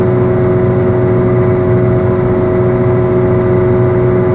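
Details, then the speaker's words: Worn wheel bearing while driving: steady low droning hum under road noise; as the problem progresses the humming turns to growling, intensifying with speed and load on the bearing, nearly louder than the engine. "progresses the humming gets ever more worse and at the final phase the sound is almost louder than the engine it goes from humming to a sort of growling which intensifies as you drive faster and there's more load on the bearing"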